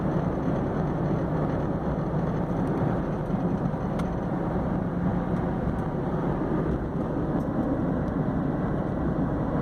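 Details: Honda Insight in gear, roughly 1500–2500 rpm, worse under load uphill and in second gear, fading by fifth, gone in neutral. Steady rough grinding/squeaking hum from the front engine bay, like a cheap computer fan; grinding noise in gear under load.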